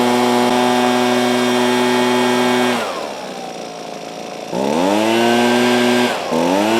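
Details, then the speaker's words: Husqvarna 125B two-stroke leaf blower after replacing the coil to fix a no-spark no-start: a clean, steady buzz drops to idle and picks up smoothly on throttle without stumbling. Runs properly; the carburettor may need slight tuning. "that's not too bad I think the carburetor might need a little bit more finesse but for the most part that sounds pretty dialed in"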